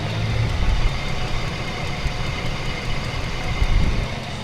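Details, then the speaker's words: Chevrolet S10 Blazer Vortec V6 idling rough and misfiring: faint, irregular snapping clicks over the engine rumble as current leaks from the ignition coil and arcs to the chassis instead of reaching the plug. "O que são esses estalinhos eles são fuga de corrente provavelmente não vai dar para ver Deixa eu desligar aqui não vai dar para ver não tá dando mesmo porque não tá visível mas tem corrente pulando para fora da bobina esse estalo que você tá ouvindo é a corrente pulando fora da bobina"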